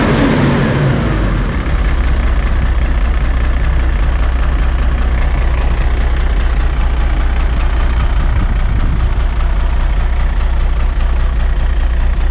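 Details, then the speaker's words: Diesel bus idling after fuel return was tightened with a socket: heavy low rumble with slightly uneven beat; idle not quite smooth, owner suspects something else, probably oil-related compression, with an oil change planned. "Right, so engine work. We've done the best we can for now. There's still something else going on. Probably oil related for compression."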